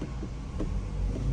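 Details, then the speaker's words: 2020 Toyota Corolla in gear, foot on brake with light throttle, after replacing bad transmission mount: low even engine rumble, no clink or jumping back and forth; now smooth. "I have my foot on the brake and gas a little bit so much better no more uh clink noise"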